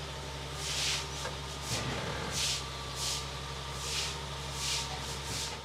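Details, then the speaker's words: Idle of a BMW 760Li V12 after both fuel filters were replaced with the correct OEM filters; it fired straight into life with the tank low on fuel, no leaks found. Steady, low, even hum with faint hissy rubbing, no misses or knocks. "there he goes yeah fired straight into life let's go check for leaks we're all good no leaks"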